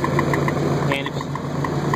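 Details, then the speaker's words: 2000 Ford F-150 5.4 V8 at idle: quick regular chirp about seven per second, traced to an exhaust leak at a bad exhaust pipe flange. "sure you can hear that chirping noise well i found out what it was maybe this will help some people out"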